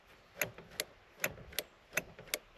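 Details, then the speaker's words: Peugeot 405 Mi16 being restarted, electrical fault: relay clicks sharply about every third of a second after switching on the ignition, with no starter clunk or cranking; the starter was heard clicking earlier but no longer. "On entend bien le relais qui claque et d'ailleurs tout à l'heure j'entendais encore le claque du démarreur et là j'entends plus le claque du démarreur."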